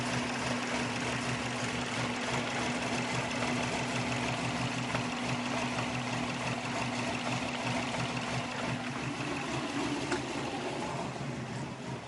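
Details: 2002 Subaru WRX turbo four with a manual boost controller idling with an uneven, lumpy beat and faint hiss, reading -10 vacuum; owner suspects a vacuum leak or a missing O2 sensor, no codes stored.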